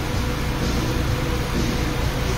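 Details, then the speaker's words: Honda Fit idling during break-in with timing and tuning perfect: low, smooth, even idle with no knocks, ticks or hunting, so quiet someone thought it wasn't running; sounds new. "Tahimik na, tahimik. Kala niya sir, hindi umaandar. Pero umaandar yan."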